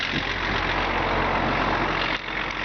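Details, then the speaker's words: BMW 325 tds E36 diesel idling after the power-steering pump pulley's loose bolts were retightened with threadlocker: steady, even diesel clatter, the earlier clanging knock gone, normal. "Вот завел машину, ничего не стучит, ничего не шумит. То есть дизель работает ровно. Слышно, как дизель тарахтит."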